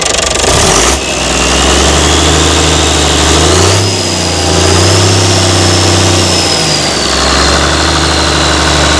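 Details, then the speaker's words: Mystery old six-cylinder Perkins turbo diesel from a farm, no history, first start: steady low clatter settling into an even idle with a faint turbo whistle; starts and keeps running. "Looks like it might run this thing, you know. Well, it's drawing did something."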